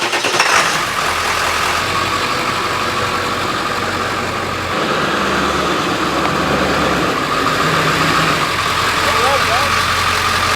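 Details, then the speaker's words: 2000 Ford F-250 7.3L Powerstroke diesel, 2-inch level, 35-inch Nitto Ridge Grapplers, front bumper area fixed with zip ties. Driving: steady diesel drone and road hum, no rhythmic scraping from wheels; tire rub gone. "guys can hear there's no rub anymore on the truck."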